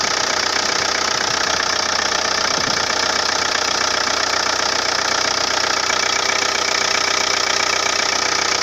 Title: Свистит ремень